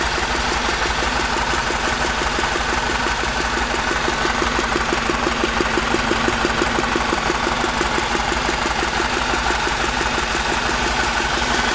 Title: e46 318i Motorgeräusche